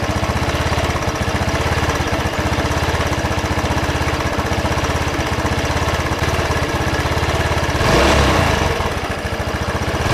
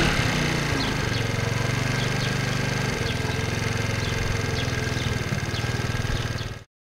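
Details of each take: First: Racer Salut MT50QT-19b1 scooter with a 139QMB engine, no oil on the dipstick and smoking: low, uneven, slightly lumpy idle with wandering revs; it won't hold low idle. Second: 2008 Racer Salut MT50QT-19B moped, 139QMB 50cc engine, after valve clearance repair and carburetor adjustment: small single-cylinder thumps steadily about four beats a second after a brief rev, slight valve tapping noted; normal running.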